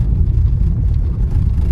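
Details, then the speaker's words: 2013 Nissan Leaf driven over gravel and potholes on a village road: low road rumble, front suspension now absorbs bumps quietly with no knocks; only the glovebox rattles lightly. "А ходова, можете чути, дивіться, відпрацьовує ямки просто цаца. Дивіться, оце бардачок тарабанить"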